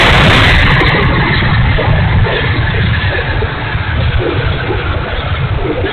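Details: E-flite A-10 Thunderbolt II twin 64mm ducted fan, bad motor, run gently: loud ragged rushing roar with uneven pulse about four times a second; fan running rough, cause unknown.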